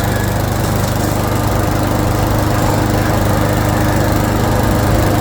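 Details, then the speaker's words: 2014 Troy-Bilt leaf shredder vacuum, Briggs & Stratton engine, after fixing a no-start from fuel starvation by removing and cleaning the carburetor bowl: small single-cylinder engine holds a steady, even, fast putter with no misses or surging. "it wouldn't start before because no fuel is going through the fuel all right so we got that mower Leaf Shredder vacuum thing going"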